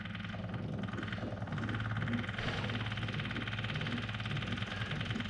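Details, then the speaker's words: 2013 John Deere 1023e diesel tractor, fuel gelled at -20 degrees and won't stay running; key on with petcock opened, a steady low buzz with engine off as the electric fuel pump primes the lines; sounds normal. "see here there we go we got a fuel pump on these so let's see here let's turn on the key oh there we go"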